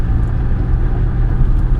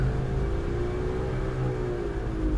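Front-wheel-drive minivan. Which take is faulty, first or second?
second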